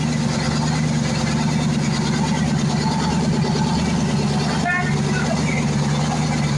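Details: YaMZ-238 diesel after a full overhaul: a smooth, steady low drone at constant speed with no tapping or misfire beat, a healthy idle.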